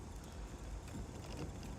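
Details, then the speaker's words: Toyota Solara convertible driven at 5 mph over bumps after new struts on all four corners: steady low road rumble with no creaking or rattling, unlike the constant creaking before. "5 miles an hour going over bumps not it's not rattling or creaking"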